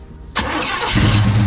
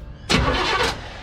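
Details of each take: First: Chevelle sat in a barn 15+ years, last ran it caught fire; fuel feed rigged to carburetor: starter cranks, engine fires raggedly about a second then fades without catching; owner suspects fuel pump not pumping, starving it. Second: Chevelle sat in a Texas barn about 15 years, last run ended in fire, coil wire disconnected: short strong crank with quick even turnover, no dragging or clicking; starter and battery sound healthy.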